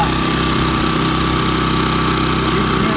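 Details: New Champion 3400 W dual fuel inverter generator, model 100263, switched from LP to gasoline, heard from five or six feet with truck-box reflections: smooth, even hum at constant speed, no knocks or surging; normal running.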